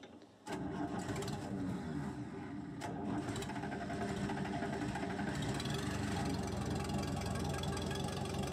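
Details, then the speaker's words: Case 450D dozer diesel with Roosa Master DBGFCC431-27AJ injection pump, first start after throttle linkage repair: catches, then the idle sags lower and lower, loping and nearly dying; idle screw set too low. "It's idling down too much."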